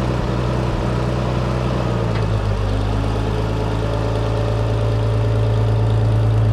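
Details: Farmall 460 tractor idling after changing and cleaning plugged hydraulic filters that had disabled loader, bucket and power steering: steady low rumble at even idle, no knocks, misses or hunting; normal running.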